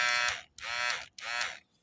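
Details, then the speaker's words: Philips hair clipper after repair (diode replaced, switch cleaned, blades refitted and oiled), switched on uncharged: three short bursts of strong, steady constant-pitch buzz, no rattle or bogging; motor running healthy and strong. "ครับโหแรงครับนี่ขนาดแบบเดิมๆนะครับยังไม่ได้ชาร์จนะครับ"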